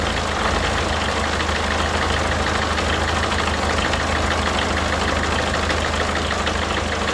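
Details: Peugeot Partner 1.6 HDi diesel idling after replacing a failed injector seal and cleaning the seat; steady even clatter, the earlier leak noise gone, no hiss or puffing at the injectors.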